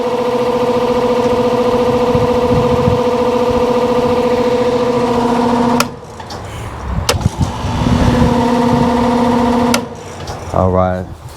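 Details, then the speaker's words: Lennox AC condenser fan motor: a steady low whine with a higher ringing overtone while the fan runs, which stops with the motor. The bearings are bad and have slight play, and lubricating them did not help, so the motor is being replaced. "the condenser fan motor so it has bad bearings in it i tried to put some lubricant on there but i'll have to change it up let's see if you can see i don't know if you can hear it or not but it making it like a little winding noise"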